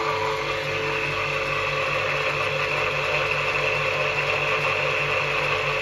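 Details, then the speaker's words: Old Soviet electric motor, bearings freshly regreased, never used since, wired in star from a capacitor, running unloaded with steady hum and even whirr, slight bearing noise judged harmless: normal no-load running. "На звезде он практически может работать в режим S1. Он практически в неограниченном режиме может работать. Ну, естественно, без нагрузки."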